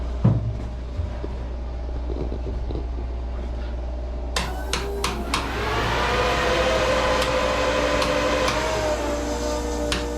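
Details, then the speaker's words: Lotus Super 7 with turbocharged S2000 F20C swap on AEM EMS Series 2, ignition on before cranking: relays click, then a steady electric whirr with faint whine as the fuel pump primes normally and the ECU powers up. "Okay, I just had to turn on more switches. Now the fuel pump's running, now the ECU is powered up. You can hear the fuel pump."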